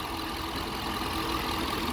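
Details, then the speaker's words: Police Dodge Charger HEMI V8 patrol car after repair of top-end tick with new genuine Mopar parts: smooth even idle, steady low rumble, no ticking; normal idle. "I want y'all to hear how I hear me sound normal. Y'all hear that? That is a beautiful sound."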